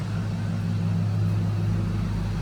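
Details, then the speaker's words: Ford Lightning SVT supercharged V8, cold start idling to warm up: deep, steady, even rumble with intake sucking, no misses, knocks or blower grinding; normal cold idle. "Right now, it's still cold, so I'm gonna let her get up to temp and see what it does."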